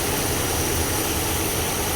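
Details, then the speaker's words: International Scout, sat 18 years, after setting carb and timing with vacuum advance connected: even, steady engine note with no stumble or miss before idle is brought down; timing good, normal running. "Oh, that sounds good. All right, now let's bring the idle down."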